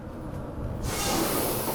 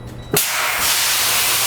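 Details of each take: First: Tractor-trailer air brake chamber during roadside inspection, driver pressing and holding the brake: steady continuous hiss of escaping air under the truck, likely from a busted diaphragm inside the chamber. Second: Tractor-trailer air brake inspection: a sharp pop, then a loud steady hiss as the trailer loses all its air and the spring parking brakes apply as designed.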